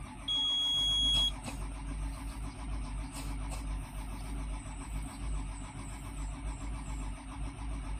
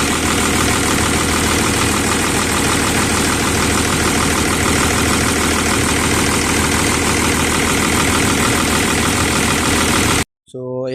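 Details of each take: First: Volvo EC210BLC excavator, D6E diesel, new filters, no error codes: starter drones with steady low churn but engine never fires; crank no start. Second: Volvo EC210BLC excavator D6E diesel after bleeding the fuel system: even diesel clatter at constant speed, no hunting, misfire or surging; normal idle.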